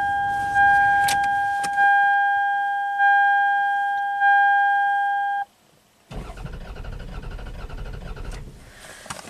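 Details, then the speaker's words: Low-mileage 1998 Toyota Camry V6 1MZ-FE with blinking check engine light and misfire, ignition coils unplugged for relative compression test: warning chime, then starter cranks with an uneven beat from low compression on cylinder 4. "Unplug the ignition coils, just disable the ignition, crank it over. And just listen to the cranking. That'll give us enough direction."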